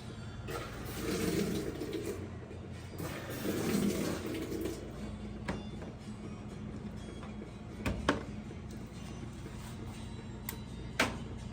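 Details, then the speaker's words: GE GUD27ESSM1WW stack washer on Speed Wash cycle, which fails to start on Heavy: water rushes in two strong spurts, then a quieter steady trickle with light clicks; normal fill, suspected user interface or encoder switch fault. "there it goes it's working that's what it's supposed to do wow wow this one's got me scratching my head it's sitting here working on the Speed Wash but it would not start on the heavy"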